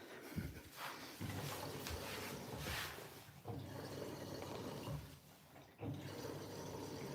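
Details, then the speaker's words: New Siemens 10 kg washing machine, drum clean with a little Persil powder: soft on-off gushes of water with low hum as it fills through the back via the steam inlet; ordinary fill. "Now, you can probably already tell it's doing a completely different way of filling on this cycle. Now, it's filling through the back."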